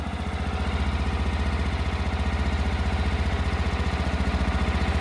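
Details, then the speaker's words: 1999–2000 Kawasaki Mule 550 barn find, unrun 2–3 years, warming up on choke: steady, even putter at about four beats a second with no misses or knocks; normal idle. "That sounds really good."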